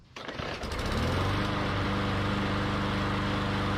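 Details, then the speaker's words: Yard Machines mower with Briggs & Stratton E/EX engine after cleaning the plastic carburetor jets that caused no-start, air filter refitted: pull-start catches right away and settles into a smooth, steady run, no misses or surging. "so last thing we're going to take the foam air filter put it back on reinstall the air filter cover and we're going to give it another test start just make sure we're still good to go"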